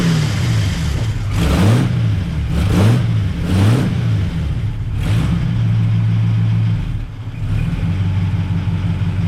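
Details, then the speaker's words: 1939 Buick coupe 248 after coil replacement: deep, smooth throttle blips rising and falling, then settling to an even idle with no knock or clatter; engine sounds healthy. "All right. Sounds good."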